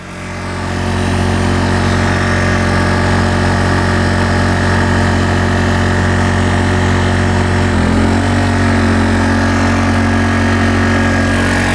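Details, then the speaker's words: Honda 1000-watt portable generator powering two 500-watt lights at full capacity; a steady, even engine hum holds its pitch without hunting. Normal running under full load. "so now we're pretty much utilizing the full capacity of this generator two 500 watt lights thousand watts"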